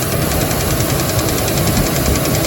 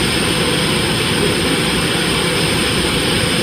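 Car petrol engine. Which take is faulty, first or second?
first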